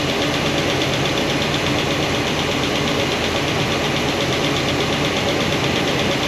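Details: New hydraulic roller cam and lifters after break-in, valve covers off at idle: fast, uneven tick from number 7 exhaust comes right back after poly lock adjustment. Little oil flow at that lifter; adjusting doesn't fix it, so solid rollers are planned.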